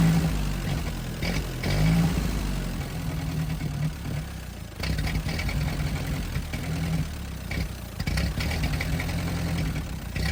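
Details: Ford 8N tractor first start, wrong spark plugs fitted, carb cleaner sprayed in; old four-cylinder catches and settles into steady even idle with light blips, sounds pretty good with little smoke; normal running.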